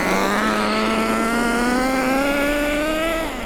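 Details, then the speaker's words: Nitro RC car during engine break-in, driven on pavement, throttle raised from quarter to half: clean, high-pitched buzz climbs steadily then drops off with a smooth, even note. Normal running at half throttle. "That's a quarter throttle. I'm not doing any more than a quarter. I can go up to half if I want to, really."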